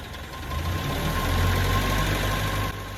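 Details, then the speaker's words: Land Rover Series 1 that wouldn't start, after its SU fuel pump was cleaned of years of sludge and reinstalled: the engine catches and settles into an even, steady beat with no stumbling, where before it stalled. Normal running, no leaks. "There's no leaks, everything seems to be okay, and before now the engine would have stalled, so it's already running better than it was before I started."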